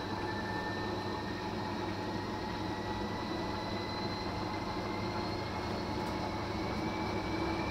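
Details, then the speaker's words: Fisher & Paykel direct-drive top-loader washing machine after replacing main drive bearings (6005 2RS) and shaft seals, reassembled and filled with water: smooth, even whine climbing as the drum spins up, no rumble or grinding; normal spin. "alright guys so it's all connected back up now I'm now she's spinning up to speed let's see how it sounds"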